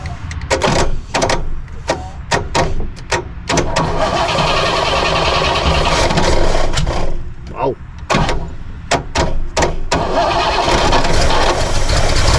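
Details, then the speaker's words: 1964 Pontiac Grand Prix 389 V8, first run after years parked: lumpy, uneven idle with stumbling beats and sharp pops; misfire, carburetor leaking gas onto the back of the intake and likely dumping fuel in, carburetor needs rebuild. "he's got the whole backside of the intakes wet that part got gas freaking out of it that's why it's missing because it's probably dumped down in there"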